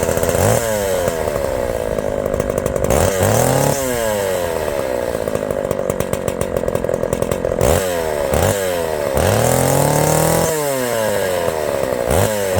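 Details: Chainsaw cutting hardwood under load: a strong, steady high-revving two-stroke that bogs slightly into the cut and snaps back on throttle. Healthy saw.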